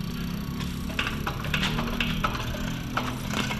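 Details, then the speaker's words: Toyota Hilux 2KD diesel injector on a tester after a no-start with fuel-related code: crisp sharp spray bursts over steady hum, good clean spray pattern, one of four injectors tested. "di ba ganda ng Buga oh goods ayos testing natin yung apat"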